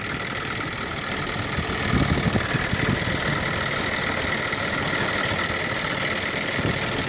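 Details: 1998 Audi 2.8 V6 5-valve at idle: busy high-pitched valve train clatter from the driver-side front valve cover area; owner suspects a chain tensioner fault, not confirmed.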